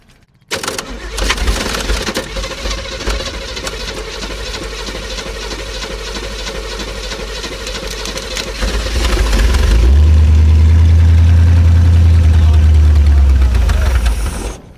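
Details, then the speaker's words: Abandoned Chevrolet C10 project engine on a start attempt, fuel poured into the carb bowl, big vacuum leaks present: it catches and runs rough and uneven, surging then dropping off. They suspect the carb isn't feeding it. "Yeah, I think that carb's not feeding it. We're going to have to bottle feed her or nothing, right?"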